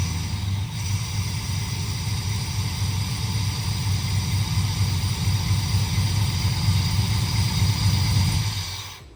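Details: Chevrolet C10 with a supercharged LS V8, brief dry run without the radiator fitted for a 10-second data log: deep, strong rumble holding steady with a slight rise in revs, then a clean cut-off; normal running.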